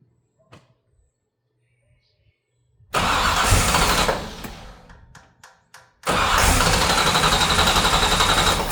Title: 66 No Start Air Puff Back